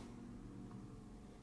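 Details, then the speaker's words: Steady faint low transformer hum, no crackle or buzz, from a newly built tube amp (7591 tubes) at first power-up on a variac brought to 120 V, before the GZ34 rectifier tube is fitted; AC voltages check as expected; normal hum. "let's go right up to 120 volts now can hear the Transformers humming a little bit"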